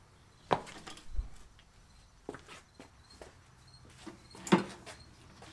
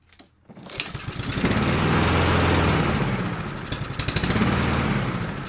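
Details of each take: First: Fire-damaged Husqvarna LC 221RH mower, Honda GCV 160 single-cylinder, fired again on a squirt of fuel: scattered taps, then it catches, revs and dies away with no clanking. It fires on primer with no mechanical knock; the engine is judged good. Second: Husqvarna LC 221RH mower, Honda GCV 160 engine, after fire repair with a cheap knockoff carburetor: the engine catches, revs, then sags and picks up unevenly. Owner suspects a jet is too small or clogged; uneven running.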